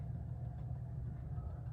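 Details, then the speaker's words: 52-inch 1980s Litex hugger ceiling fan on low speed, wiring routed through a metal piece on the mounting bracket: steady low hum while something is definitely rubbing inside the housing. Humming with internal rubbing. "and I thought I had kept it out of the way enough, but something's definitely rubbing in there."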